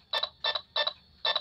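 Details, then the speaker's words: AM transistor radio held near an infrared amplifier remote as a tester: four crisp double-ticks about every third of a second over quiet hiss while a button is pressed, meaning the remote transmits normally. "as long you can hear the ticking sound it means that it transmits signal going to your"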